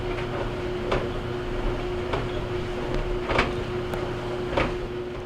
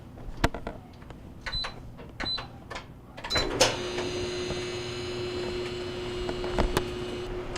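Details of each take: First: GE DBVH520GJ2WW gas dryer running with the top panel removed, steady motor hum and a soft thump about once per drum revolution (~1.2 s); the customer reports clunking after heating. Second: GE DBVH520GJ2WW gas dryer after removing compressed lint balls between front bearing and drum that caused thumping after heating: a few clicks, then smooth even hum as drum turns; running normally after repair.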